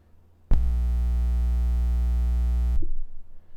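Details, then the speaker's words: Blue Spark SL Blackout microphone, about a month old, mounted sideways: steady low buzz/hum starts sharply when the blue logo is touched, holds about two seconds, then stops; base and top are fine. "that's me literally just touching the blue logo right now that can't be good anywhere on the body now i'm touching the base top seems to be okay but listen to it when i touch the blue logo ready that can't be good"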